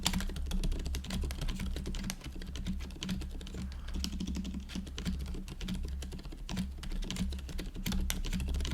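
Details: GoPolar TKL after silent conversion to factory-lubed Silent Cream Yellow Pro tactile switches and a stabilizer stem fix, typing test: fast, continuous, soft muffled presses, no sharp clack or stabilizer rattle; quiet switches sound healthy.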